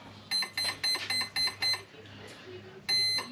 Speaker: And as soon as you hear them two beeps, you drop the throttle and then it arms.